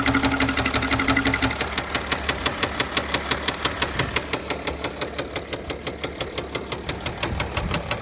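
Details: 2009 Mercedes ML320 with OM642 diesel, knock began after oil change and 4-hour drive with no oil on the dipstick: sharp, steady knock about three a second over the idle; shop called engine toast, cause unconfirmed.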